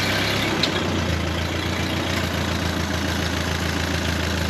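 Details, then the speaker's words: 1939 Ford 9N tractor that sat 25 years, fitted with a used engine rebuilt 30 years ago, started on choke and throttle without starting spray: a steady, quiet, even idle with a soft low rumble and no knocks or misses; normal idle. "okay and like that it's running victory"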